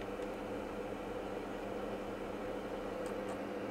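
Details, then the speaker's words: PlayStation 2 Slim powered from a bench supply, disc inserted: faint steady whirr and soft hum with no clicks or grinding as the disc spins and reads normally, before the console later over-volted and burned. "I'm sure I can hear that disc. The disc is actually doing something."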